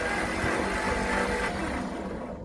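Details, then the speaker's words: 1964 Olson Kurbside step van with 223 inline-six Ford, sat 29 years; new starter, points, cap, rotor, plug wires, old plugs: starter whirs engine steadily but it never fires; cranks without starting, owner thinks it has spark but needs fuel. "so i think i got spark i think i just need fuel now"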